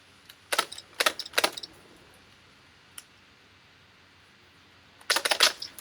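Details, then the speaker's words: Spyra 3 electric water gun after being dismantled, repaired and reassembled, test firing after filling: three quick sharp spray bursts, then a tight cluster a few seconds later, each shot crisp and clean; it is firing normally. "That seems working. Okay. Okay. So, I'm pretty pleased with that."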